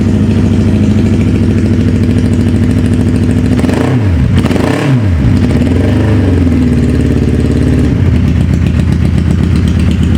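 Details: Wrecked 2011 Suzuki Hayabusa GSX1300R, stator cover busted in a crash, coolant system building pressure: uneven lumpy idle with irregular wavering beat; misfire, not hitting on all cylinders.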